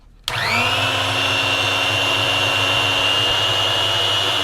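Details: Parkside drill-bit sharpener running with no load. The motor spins up in a split second to a steady high whine that stays even: healthy, running free.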